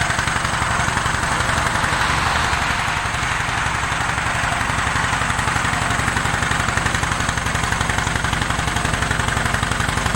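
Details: 1947 John Deere B tractor at start-up, before warm-up and before new spark plugs: loud, regular pops about four a second with a lopsided beat and no second pulse. Running on one cylinder.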